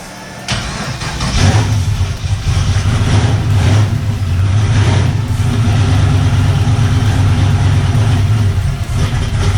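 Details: Turbocharged LS car that previously popped and wouldn't move at the track, control box now plugged in: catches after brief crank, settles into deep even rumble with smooth revs, no popping or stumble.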